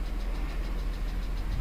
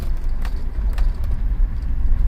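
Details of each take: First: 2007 BMW X3 3.0si petrol idling with light, quick tapping about seven times a second; won't accelerate over 5 mph, codes for Valvetronic servomotor sluggish, intake VANOS, tank-venting valve; source not yet pinpointed. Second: 2007 BMW X3 3.0si towed in unable to exceed 5 mph with tapping/rattle, Valvetronic servomotor, VANOS and tank-venting codes; after codes cleared and a connector disturbed, car pulls away quietly with steady rumble, no rattle or hesitation; normal acceleration.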